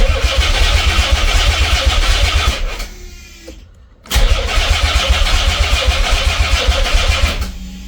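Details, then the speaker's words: Nissan 300ZX twin turbo, first start attempt in 12 years after clutch and new fork installed: labored uneven cranking at about four turns a second that sags and stops, twice, without firing; battery too weak, fuel probably still priming. "Now my battery is getting dead. Still probably pumping fuel to the front. Ah, come on. Of course. Now, after all that, the battery wants to give up."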